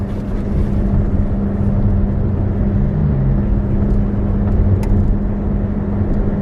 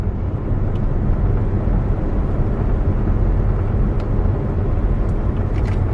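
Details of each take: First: 2011 Chevy Volt driving through a left-hand turn: a steady buzzing hum from the front that disappears when the wheel straightens; suspected worn front wheel bearing, side unknown. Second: 2011 Chevy Volt after dealer replaced a front wheel bearing that made noise in right-hand turns: smooth, steady road rumble through the same curve with no growl or buzz; quiet and tight, repair fixed the problem.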